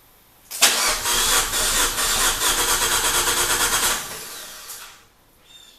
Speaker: so you notice what it's cranking it it doesn't sound right something that's got no compression and it fits exactly the other thing it doesn't have is any fuel in the rail so it has to Prime